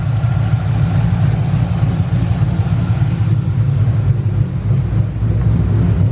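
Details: Freshly installed 5.2L Coyote V8 at first fire: deep, steady rumble with an even low beat and no ticking or clatter. Earlier cranking clicks were tensioners that went quiet once oil pressure built. Idles smoothly and healthy.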